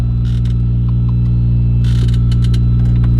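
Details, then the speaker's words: 1984 Peterbilt truck heard from inside the cab in the morning with the APU running all night: constant deep drone with a steady hum and faint light clatter, even and unchanging; the APU runs normally. "I wanted you guys to hear the audio level of what it sounds like to be in my truck with the green Apu running"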